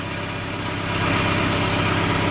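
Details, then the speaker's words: Deutz 2.9 L four-cylinder diesel in a Genie S45 boom lift: uneven, lumpy idle chug over a steady low drone; fault code shows cylinder 3 injector current below normal or open circuit, and the injector is being replaced. "but he said injector cylinder number three current below normal or open circuit"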